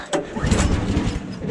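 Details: 14 hp Kohler engine on a Woodland Mills HM130 sawmill, pull start at -26 °C with choke on: a few uneven low chuffs that sputter and never settle; cold engine failing to catch, owner blames the cold.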